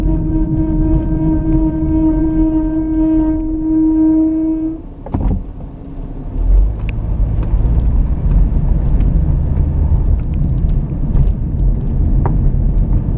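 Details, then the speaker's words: Car braking to a stop: loud steady high squeal that cuts out as it halts, from a dragging caliper whose slide pin seized with no grease under the boots; noise gone after replacing the caliper. "What happens is when these pins get seized up, when there's no grease left in under the boots, they'll stop in place, so that when you hit the brakes, it may contract partially but not then release."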